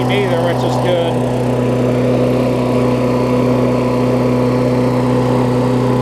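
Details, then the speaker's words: Briggs Classic engine on a Bolens push-mower deck with what is probably a Murray blade, after fitting the diaphragm and 10-15 minutes of running; the mower hadn't run in a while: steady, even buzz at one speed with no surging, misses, rattles or vibration; running smoothly and healthy. "but runs great i've ran it probably good 10-15 minutes since i've put the engine on there and put the diaphragm and stuff on there it seems to be fine which is good it's not vibrating"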